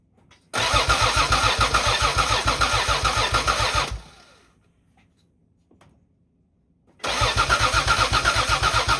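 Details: 1986.5–1992 Toyota Supra MK3: two bursts of even starter cranking at about four beats a second with a pause between, engine never catching or firing; crank, no start.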